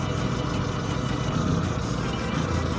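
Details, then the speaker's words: Four-cylinder engine, cylinder 4 lead pulled, idle unchanged, so cylinders 1 and 4 are faulty (plug or lead to be checked next): low, lumpy idle with uneven thumps and a missing beat, running on two cylinders. Misfire. "enjin dalam keadaan yang sama. Jadi kita boleh nyatakan yang silinder nombor 1 dan silinder nombor 4 bermasalah,"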